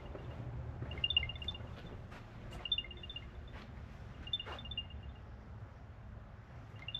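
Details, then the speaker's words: Car in a shop with hood being shut: short bursts of high, quick chirps repeating every second or two over quiet background; an AirTag sounding its alert, not a vehicle fault. "oh it's an air tag I don't know if you can hear the noise I was hearing I've never heard an air tag go off"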